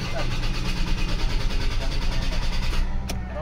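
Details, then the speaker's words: 2003 Ford Ranger automatic, hard start worse when engine hot: starter cranks about three times a second for nearly three seconds without firing; long cranking. "so Ayan po mga kalbaryo ang sobrang tagal na umaandar ang makina so ang Concern lang po ng may-ari nito mga kalbaryo pag umiinit na ang makina ay lalong magl cranking"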